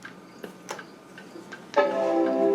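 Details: 1994 Macintosh Performa 575 found in the trash, soft-power switch pressed: a few faint ticks as the power comes on, then a sustained, bright multi-note startup chord; it boots normally.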